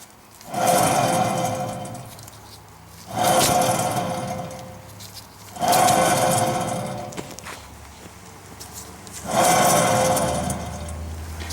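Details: 2009 Dodge Journey SXT 2WD, 3.5L V6. The other rear bearing hub was already replaced, but noise remained. This side was spun slowly by hand four times, giving a coarse gritty grinding that fades as it slows: worn, rough rear wheel bearing.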